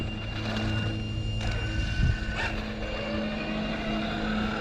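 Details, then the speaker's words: Rebuilt XRT electric RC truck after GPS speed runs around 52–53: steady electric whine with even low gear hum, no clicks or grinding; gearbox and steering servo running strong and healthy. "so as we can see after doing the speed runs gears don't seem to be having issues running good turn turn strong"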